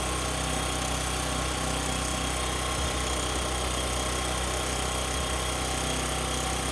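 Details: Discover 125 single-cylinder idling steadily and evenly with a light mechanical patter and no loud tapping; engine sounds settled, normal idle.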